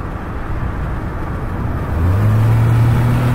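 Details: Ford EcoBoost at full-throttle acceleration: the low drone climbs with a rough pulsing flutter, like a small exhaust leak. The dealer couldn't identify the cause.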